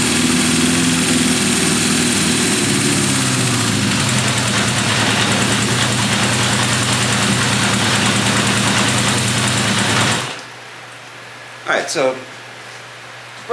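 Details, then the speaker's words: 1978 Honda CB550K four-cylinder after restoration, warmed up, timing set: after a rev the idle stays high for a while then drops slowly, a hanging idle suspected to mean the carbs are out of sync. "okay um you can hear how you rev it up and it will stay the idle will stay high for a while and then it drops down that that generally is the sign of carbs are out of sink"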